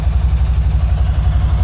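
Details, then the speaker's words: 2012 Can-Am Spyder RT-S SE5 after EVAP parts and oil change, idling to complete a heat cycle, scan tool connected, both O2 sensors good, charging about 13.8–14 V: steady even low idle, no knocks or misses; normal idle. "I'm just letting her run in here. Let her get to a heat cycle."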